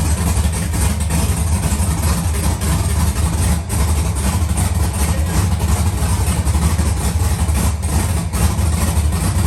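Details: Chevrolet Monte Carlo with rebuilt LS V8, first start, some MAP sensor wiring not yet connected and smoking: deep, steady idle with an even, lumpy beat and no knocks or ticks; running healthy.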